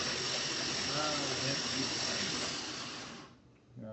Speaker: I'm gonna get in here and crank it a little bit more and the engine sounds weird because I have the spark plugs pulled out